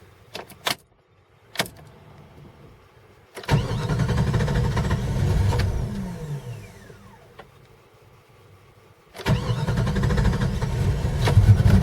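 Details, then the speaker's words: Cold morning start of a 5.2 engine that starts and runs fine warm: short crank bursts, long slow steady crank fading out, then a fresh crank before it catches. Owner suspects temp sensor, throttle body sensor or computer; unconfirmed. "okay we're gonna let's see if it's gonna crank up this morning let's see the smaller crank up this morning still cranky"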